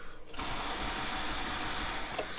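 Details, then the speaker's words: Peugeot diesel that only starts on easy start despite new glow plugs, fuel pump suspected: catches and runs ragged and unsteady under held throttle, coarse uneven clatter; injectors dry, cause not pinned down. "okay there's something something she's not happy about um fact that was with throttle means we should have to see if there's any leaks"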